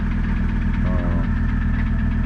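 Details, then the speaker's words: Mercedes 300TD diesel at a smooth, even idle after fixing a no-start traced to bad connections, not the glow plug relay; connections cleaned, quick start with less choking. Steady clatter with regular firing, no stumbles. "nice Quick Start less choking and gagging and running a lot better already so we're still working on our uh climate control climate control run running so much nicer now nice idle"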